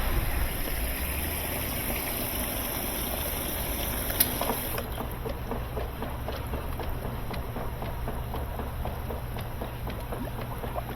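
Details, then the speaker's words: Whirlpool-made KitchenAid direct-drive washer after motor coupling replacement: steady motor hum with even water sloshing, no knocking or grinding. Normal agitation. "Well, it agitates. And the dogs are good."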